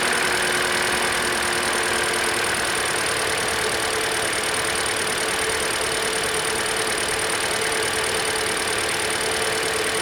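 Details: 2013 Hyundai Elantra, just over 60,000 miles, after alternator and serpentine belt replacement: smooth, even idle with steady hum and faint belt whir, no knocks or squeal; charging fixed, battery voltage rises after start.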